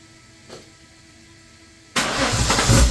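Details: Turbo Holden VL Commodore started for the first time in 20 years after a wiring fix and fuel system hookup: quiet, then the engine catches at about two seconds and settles into a fairly even idle rumble with no knocking; normal idle.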